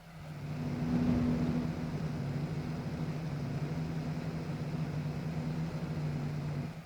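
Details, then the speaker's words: Electronic load's cooling fan runs at full speed under a 5 A load from three parallel 18650 cells, with the temperature around 28.6 °C. A steady loud whoosh with an even low hum; normal operation, though noisy. "Як бачите у нас одразу ввімкнувся вентилятор і працює він на максимальних обертах"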